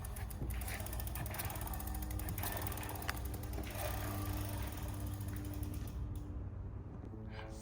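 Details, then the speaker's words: Flux e-bike rear wheel after removing a thin washer beside the brake disc and re-centering the caliper. Wheel spins freely with light quick freewheel ticks and no disc rub; the brake runs clear. "We can adjust the position of the caliper until we don't hear any noise, and then we securely fasten the two bolts on the caliper."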